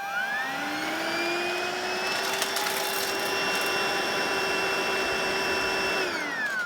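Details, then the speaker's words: Cordless battery vacuum with motorized head, about 22 V: motor whines up to steady pitch, runs about six seconds then winds down and stops as red light flashes; battery fault. "I'll turn it off there, but the red flashing light comes on almost instantly, indicating that there's a problem with the battery, and then it goes off after a few seconds."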